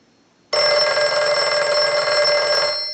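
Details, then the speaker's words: Northern Electric 302 rotary desk telephone after repair and rewiring, ring cycle sent from analyzer: bright, steady double-bell ring sustained over two seconds, no buzz or rattle; ringer working properly. "so now what we want to do is we want to use the analyzer and we want to send a ring cycle so we'll start a ring cycle"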